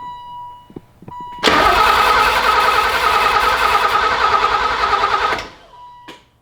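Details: 1984 BMW E30 318i turbo build, first start attempt: even starter cranking about three beats a second for four seconds with a loud fuel pump, never catches; crank sensor misconnected, no start.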